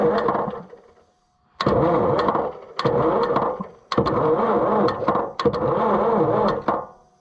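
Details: Oliver 1355 diesel tractor, first start attempt after new fuel pump fitted, fuel reaching all injectors, battery running low: repeated second-long cranking bursts, starter churning but never firing; cranking no-start, cause unconfirmed.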